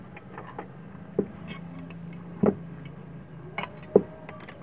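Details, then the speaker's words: Water pump motor after repair, reassembled: steady low hum with no grinding or rattle, a few handling clicks; earlier noise was caused by a damaged bearing. "Bisa kalian dengar ya suaranya sekarang udah kembali halus lagi ya, tidak berisik seperti tadi."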